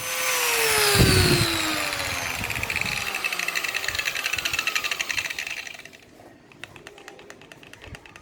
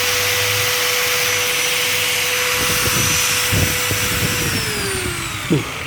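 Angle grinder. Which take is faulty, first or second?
first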